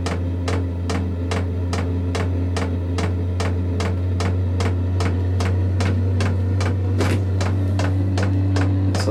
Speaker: Yep, there goes the pump. Like I said, very loud. You can hear the flame just kicked on.